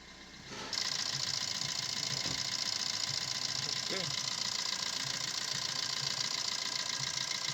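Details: Maruti Suzuki Swift Dzire diesel at idle: even diesel clatter with a steady high whir on top, no timing chain rattle or slap; engine idles cleanly.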